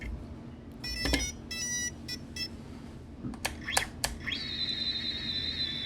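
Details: Tiny whoop all-in-one flight controller, after the board was cleaned with isopropyl alcohol and the motor resoldered: clear short high beeps, then a steady rising tone. The ESCs initialise normally, having previously failed, likely because a solder blob was bridging near the FETs.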